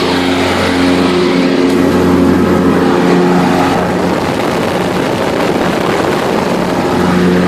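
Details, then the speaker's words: John Deere LT133 lawn tractor with the PTO engaged: a steady, even single-cylinder hum with the mower deck's loud whir on top and no knocks or misses. This is normal running with the deck engaged. "Let's engage the PTO so you can hear the deck. It's a little loud. Sounds like the Yard King."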